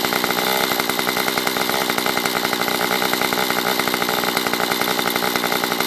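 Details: Stihl MS194T chainsaw after fuel-issue no-start fix, carb richened on low and high within limiters: steady even high buzz at fast idle, warmed up, clean with no stumble or hunting; normal running.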